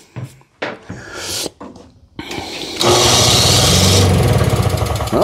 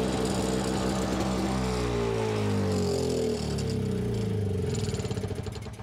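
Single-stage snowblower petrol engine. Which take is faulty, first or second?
second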